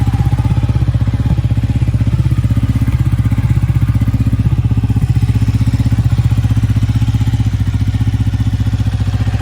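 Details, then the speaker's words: Ducati 1199 Panigale that struggled to crank and start when cold, traced to corroded starter solenoid terminals: starts and twin idles at an even, steady four pulses a second, no misses or knocks. "all right obviously does work so happy days"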